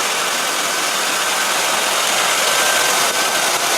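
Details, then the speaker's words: 2006 Ford Explorer 4.0 SOHC V6 after harmonic balancer replacement: steady, even, quiet idle with no knocks, slaps or belt flutter; belt tracking straight without bouncing. "start it there we go nice and quiet just like it should be just make sure the belt's tracking properly"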